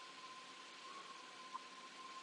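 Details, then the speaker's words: 2002 Jeep Grand Cherokee 4.0L, starts then stalls within 10 seconds, misfiring, codes P0340 P1391 P0351: faint intermittent thin whistle over soft hiss under hood, source unknown; technician takes it as sign O2 sensor heaters work, wonders if alternator. "and something keep whistling so right off the bat this tells us high probability our oxygen sensor heaters are working"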